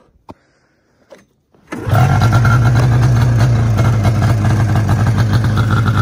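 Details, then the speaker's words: 2002 Arctic Cat ZR500 snowmobile cold start: a few clicks, then it catches at once and settles into a steady, even two-stroke idle; starts cold and runs cleanly, though it could use a tune-up. "i'm going to fire it up right now while it's cold so you guys can see how good it starts it's a good running sled for sure you probably could use a tune up but i mean nothing crazy"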